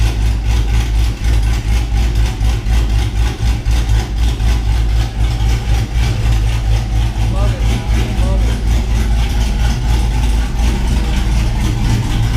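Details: 6.0 LS-swapped Cateye truck with a BTR Truck Norris cam, after a noisy lifter was fixed: a deep, lumpy cammed V8 idle with a steady loping beat and no lifter tick; the valvetrain sounds healthy.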